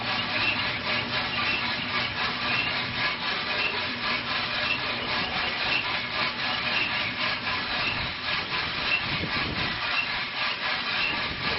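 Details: RK Drums 4 lb drum on a gas grill with 4.75 lb green coffee at about 600 degrees, motor just switched on; steady dry rustle with a soft swish about once a second as the drum turns evenly. Normal roasting.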